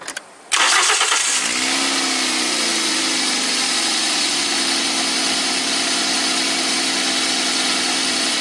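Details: Toyota Corolla VVT-i engine after the test and reset: short crank, catches cleanly and settles into a smooth, steady idle with no hunting or surging. The cold idle should be about 1000–1100 rpm; sounds healthy.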